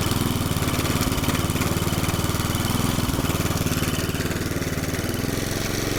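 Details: McLane 20-inch reel mower revived after about 20 years stored, cutting long, thick doveweed grass: the small single holds a steady, even fast putter with no misses or surging under load, and it cuts and stripes.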